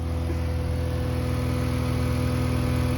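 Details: BMW E46 engine cooling fan with an added manual override switch (80 ohm resistance) at idle, reading 4.5 degrees; switched on it starts after a moment with a steady whoosh and low hum, running at full speed as intended.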